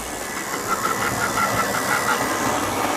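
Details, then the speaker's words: Brand-new EFE/Kernow CC1 Booster model loco running in one direction: a faint uneven ticking, about three per second, over the motor hiss. Funny running noises, cause unclear. "But there are some funny noises coming out."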